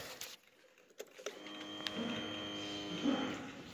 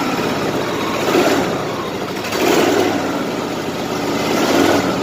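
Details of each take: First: Machine after its fuel pump recall fix, as the pump used to run all the time: a thin electric buzz for about two seconds, then a clean cutoff. The fuel pump primes and stops as intended; it runs well, though the engine light stays on. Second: 2010 Exmark LZ60AS mower with electric choke and a replacement engine fitted last August: it catches quickly, blips a few times, then settles into a steady, even idle. No misfire or knock; a healthy start.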